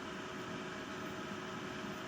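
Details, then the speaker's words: Desktop PC with no video and no beep, RAM and graphics card removed: steady fan whoosh with a faint constant hum at power-on, still no POST beep, so the board isn't posting. "turn it on no go okay no beep all right so"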